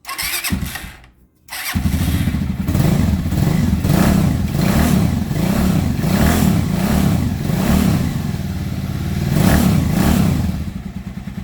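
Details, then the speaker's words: Dafra Horizon 150 (CG 150-type engine) after replacing the worn crankshaft counterbalancer repair parts and spring with Honda parts to cure a rattle on acceleration: starts and revs smoothly, even beat, no rattle or knock; problem solved. "redondinho É isso aí fica a dica hein verificar essa porcaria do balanceiro aqui trocar as peças pelo da Honda acabou o problema"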